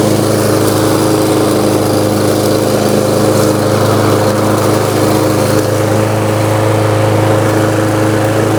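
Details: New Lowe's M230 163cc self-propelled lawnmower cutting tall grass in mulching mode at about a 3.5–4 inch height: strong, even drone holding steady speed, no surging or knocking; healthy engine under load.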